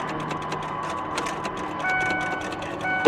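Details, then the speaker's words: Vehicle at auction, listed as non-runner with power and nearly full tank: faint relay ticks but no starter cranking, also in neutral; suspects bad starter solenoid or faulty wire, not confirmed. "I hear a relay [Music] I don't hear the starter not at"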